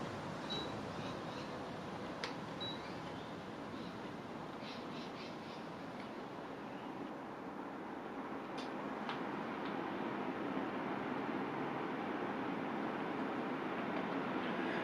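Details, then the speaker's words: Newly installed split-system air conditioner in a workshop, switched straight to full power; soft, even air hiss building as the fan comes up to speed, no whine or rattle, very quiet: normal running at full power. "So I'm going to turn it on straight to full power, and we'll see what it sounds"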